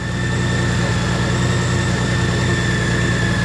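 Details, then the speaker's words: Honda Goldwing DCT idling after its fail-to-start problem, with the alternator charging at 14.38 V. The idle is smooth and even with steady low pulsing and no knocks or misses; normal idle. "Alternator is charging. Everything looks good."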